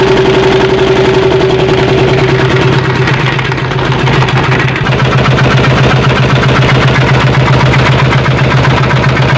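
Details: Single-cylinder diesel running after replacing a damaged cylinder head gasket that leaked water into the air filter and exhaust; loud, even thump at about four beats per second with no misses, running normally after repair.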